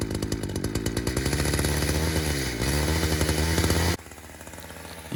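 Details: Chainsaw used while cutting smoking wood; steady, fast two-stroke drone holds high revs with no throttle, then drops away, with the chain creeping. Idle too high; owner thinks it needs tuning, cause not confirmed.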